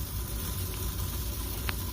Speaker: I have the solenoid physically off the valve body you hear that but that's actually making noise as it's feeding through there all right yeah so it's not closing down at all that's not cool